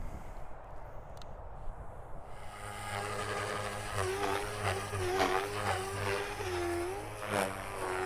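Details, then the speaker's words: RC helicopter electric motor and ESC in governor mode with governor gains set very low: motor whine dips in pitch as load comes on, lags, then recovers; rotor rpm sag due to low governor gain tuning. "as you can see the RPM is dropping quite a bit you can hear it lagging down behind"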